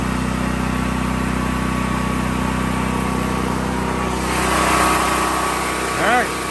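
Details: Westinghouse generator converted to run on propane: steady even engine drone at constant pitch, no misses or surging; normal running.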